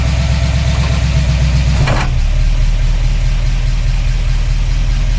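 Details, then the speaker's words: 1953 Oldsmobile Rocket Super 88 barn find with a new Edelbrock carburetor replacing the one that made it lug in drive: loud steady low burble at warm-up idle, loud from floor holes, brief clatter; even firing. "not too bad let it warm up missus add and it will go driving around the car sounds really loud because this is a literal hole I can see the transmission from here"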